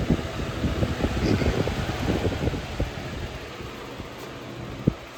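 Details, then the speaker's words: Early-2000s Holmes HABF-25 box fan running on high: light uneven rattle clicks over the steady whoosh as the motor rattles on its mounts, cause unknown to owner; motor rattle. "So, and the motor rattles for some reason. I don't know why. Like, it rattles onto the motor mounts."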